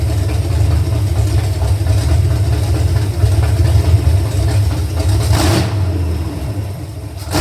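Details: Truck V8 with new rockers, lifters, pushrods, intake and headers, valves just adjusted, being readied for Power Tour 2025: deep, loud, lumpy idle with an even beat and a couple of blips, no ticking or knocking; healthy.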